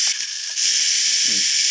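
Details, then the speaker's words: Traxxas Revo 3.3 nitro RC car during servo replacement; the wrong reverse servo is fitted (just an angle type), harsh gritty buzz with short tonal bursts, grinds but doesn't open the reverse. "oh it's actually working this is very demon sounding it does it doesn't actually open the reverse though"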